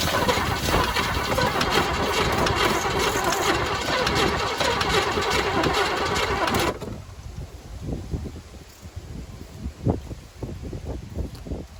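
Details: 1985 Chevy C10 half-ton, 305 V8, stock Quadrajet carburetor, new distributor, plugs and wires: starter churns about four turns a second for nearly seven seconds without catching; owner suspects fuel supply or distributor install.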